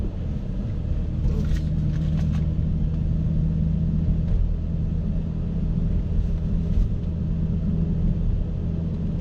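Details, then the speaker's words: BMW E60 M5 on a cold start: a deep, steady, even rumble at a fast cold idle while still warming up, with few revs given, and no knocks or misses. This is a healthy normal cold-start idle. "I never get tired of the sound. It's an amazing sound that draws a lot of attention no matter where you go."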